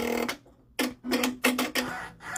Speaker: See, I hear it catch. It's catching that needle plate. That's what knocked it off registration before.